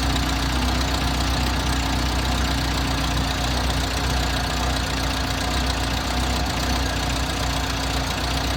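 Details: Six-wheeled Toyota with carburetor, after new spark plugs and the fuel filter re-installed in the correct direction: uneven lumpy idle with irregular knocking about twice a second under a steady rumble; same odd idle persists, cause unknown.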